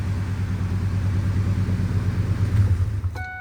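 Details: 2002 Ford F-150 Harley-Davidson Edition supercharged with a new cold air intake, still cold: deep lumpy V8 rumble settling after revs to an even idle, then beeps; slightly rough on first start, MAP sensor suspected, otherwise fine.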